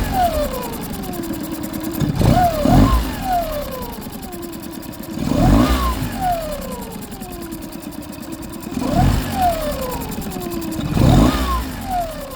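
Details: Outboard test run after injector cleaning and replacement, fuel bulb primed to bleed air, no leaks: fired right up easily, steady idle then three clean revs rising and falling smoothly, no misfire or stumble; healthy, though only running it will tell.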